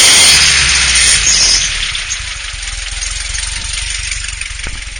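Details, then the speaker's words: VW with an awful mystery squeal from the rear, loudest beneath the engine, mic on the ground: thin, steady high-pitched squeal over an even-running engine; persists with alternator belt removed, source unknown. "Okay, Samba folks, here's the mysterious noise that's been driving me crazy. Can't find it anywhere. Definitely hear it more beneath the engine."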